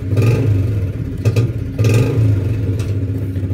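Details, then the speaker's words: Honda Revo Fit motorcycle revving: a steady whine over the engine rumble. Heavy play in the secondary shaft misaligns the primary and secondary gears; a worn ratio shaft or a cracked bearing, possibly from running out of oil, is suspected. Gearbox whine. "Nah ini teman-teman bisa melihat oblaknya begitu parah sehingga tidak balance pada waktu pertemuan gigi primer dan sekunder akhirnya alhasil menimbulkan ketukan dan bunyi ngiung ngung ngung ngungung seperti itu ya"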